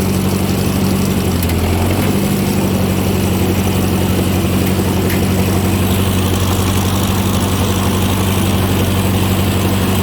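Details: Ford 515 sickle mower on its first light test after fitting the shield, cutting grass: steady low engine drone with an even, rapid cutter-bar chatter under light load. Normal sickle mower cutting.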